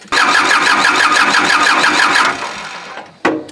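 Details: Kubota L2350 tractor diesel with water in fuel tank, lines and injection pump, cranked while bleeding an injector line: starter churns about three beats a second for two seconds then quits without firing; water in fuel prevents starting.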